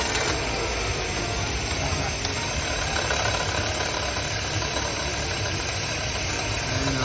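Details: Customer car with a noise complaint, started after water pump installation: even, steady idle with a smooth hum and no knocking or ticking; the engine sounds healthy.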